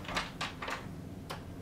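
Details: After lubrication: white lithium grease applied to each door hinge pin. A few soft clicks as the door swings, with no squeal or creak at all; the hinges now move quietly.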